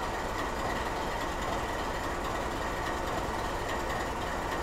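A deep, uneven diesel rumble with a loose, lumpy beat about once a second: the locomotive is idling in skip-fire mode.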